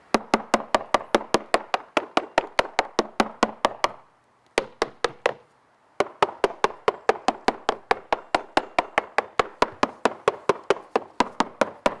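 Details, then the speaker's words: Cornish Bay Crabber Atropos fiberglass deck with unknown core (balsa or plywood), tapped with a plastic hammer on a moisture-meter-dry area: crisp, sharp, uniform taps with no dull thuds; solid deck, no delamination. "So we're going to take the plastic hammer. We're going to listen for noises. This is normal."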